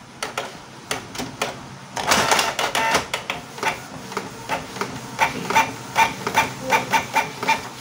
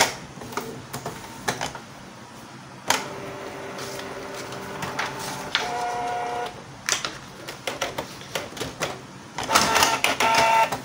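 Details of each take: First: Canon IP2770 inkjet printer after repair of skewed, broken prints: even carriage sweeps with short whirring passes and paper-feed clicks about once a second; printing normally, output straight again. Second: Canon IP2770 printer giving broken, shifted prints and paper jams: carriage moves in jerky, rough bursts of clicks and short whirs that stop and restart; a dirty encoder strip is upsetting carriage positioning.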